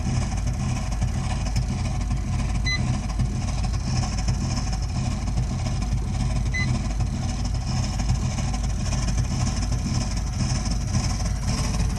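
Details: Burnham Alpine boiler with a continuing loud-noise problem: constant deep roaring rumble with no let-up, much louder than a healthy burner; the boiler is combusting noisily.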